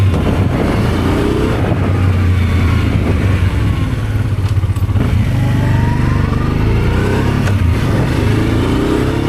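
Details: Honda Transalp 650 V-twin at first start after carburetor rebuild: revs up and drops back cleanly with a crisp, even beat and quick pickup, no popping or misfire; had started poorly after sitting two months, now healthy.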